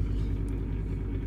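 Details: Bosch SMU63N25EU/B3 dishwasher running: a steady low droning hum with an uneven rumble. Water still comes in, it cleans after 2–3 cycles and shows no error code. The cause is unknown; owner suspects the solenoid valves.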